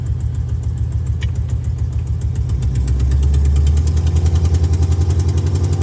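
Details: Car's first test drive around the block: deep engine rumble with a regular chuffing pulse, about three or four a second, rising slightly as revs build; exhaust leaks need fixing.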